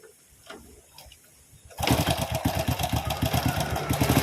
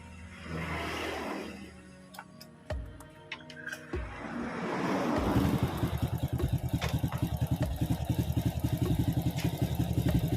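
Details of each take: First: Honda Supra X (C-series) starting and idling with a fast uneven metallic clatter at the left side of the cylinder head; stretched cam chain suspected, automatic tensioner lifter found with its check ball detached. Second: Honda Supra X (C series) after reassembly and fresh engine oil: it starts and settles into a smooth, even idle with no top-end ticking. The tensioner had not been pre-filled with oil.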